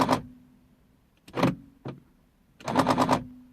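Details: 2003 Mercedes C220 W203 driver door lock, would not lock even with mechanical key: rapid machine-gun buzzing rattles in short bursts as lock cycles, passenger side normal. Faulty central locking actuator.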